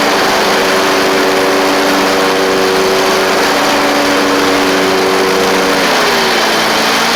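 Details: Ferris stand-on mower with 2018 Briggs Vanguard 49E877 V-twin, after refitting a push rod thrown by a loose intake push rod guide bolt that caused one-cylinder running: smooth even buzz holding speed then easing down; both cylinders firing, normal running.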